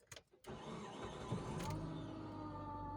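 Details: 2003 Mitsubishi Outlander, 4G64 2.4 petrol 142 hp, starting and idling with a steady droning hum present for three years: worn front bearing of the AC compressor clutch pulley.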